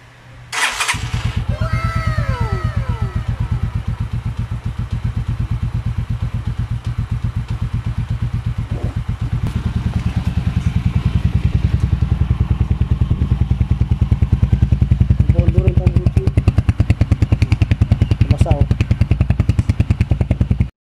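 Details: Pinoy 155 (150cc), long left unused, catches and settles into a steady, even idle with a deep, regular exhaust thump after a new timing gear and cylinder head work.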